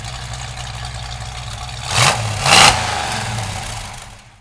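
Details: Restored 1965 Ford Mustang convertible with a brand-new crate V8 and a 5-speed. It settles into an even idle, takes two sharp throttle blips, then drops back smoothly; a healthy engine.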